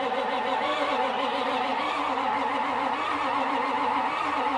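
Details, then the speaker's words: 1995 Ford F-250 7.3 diesel no-start, in neutral, crank sensor plugged in and giving crank signal: steady, even starter cranking with no firing or catch at all; cranks but won't start, cause not found. "Let me try and restart it again. All right, it does not want to fire off of anything. And that's not a good sign."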